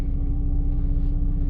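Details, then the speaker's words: 2006 Jeep Liberty 3.7L after rough-idle repairs, warm, in gear then back in park, no A/C or fan load: smooth even low rumble holding rock-solid at 600 rpm, no hunting or dips; previously bounced 500–700, now healthy. "so I believe that the idle rpm is set at 600 on these Jeep Liberty 3.7 and it's holding steady"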